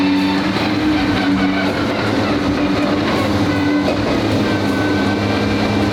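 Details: Twin-turbo V12 Ferrari on first shakedown after build, on the ground for first drive: smooth, steady V12 humming idle, no misses, knocks or surging; healthy idle.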